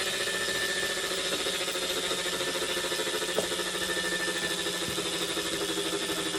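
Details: Wahoo Kickr Core bike trainer spinning: a steady, even hum with a thin high whine on top; the source of the hum is unclear.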